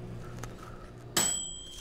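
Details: Cheap camper microwave run on high for two minutes from a LiFePO4 battery through a cheap 1500 W inverter: low running hum, then one bright ding as the dial timer ends; working normally, water heated from 75 to about 129.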